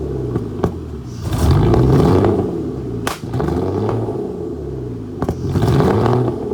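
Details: Flood-damaged Aston Martin DB9 V12 after start-up, with lots of smoke. Uneven, lumpy revving with irregular pops and stumbles instead of a smooth note. Misfiring, cause unknown.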